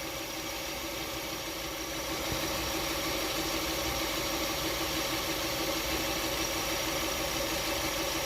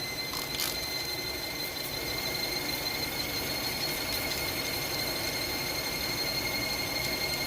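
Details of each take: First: Hyundai Tucson with a squeak: after the fix, engine idling with alternator, water pump and power steering belts spinning and the AC belt held still; smooth, even idle, no chirp or squeal, belts quiet and healthy. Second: Hyundai Tucson at idle: a steady, high, piercing squeal from the accessory drive belt slipping, suspected at a pulley; soap and water is about to be sprayed to test it.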